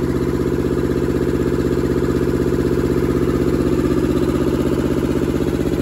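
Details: Deutz F2L511 two-cylinder air-cooled diesel with belt-driven fan, ex-forklift, sitting about five years, first run after revival: crisp, very even chuffing about four beats a second, no misses or extra knocks; normal healthy idle.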